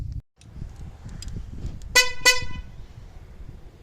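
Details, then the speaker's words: Ford F-150 (12th gen) factory horn, low tone horn failed for the third time: two short honks give only a thin, high, buzzy squeal with no deep tone; low-pitch horn dead, being replaced with Hella horns. "We keep losing the low tone horn."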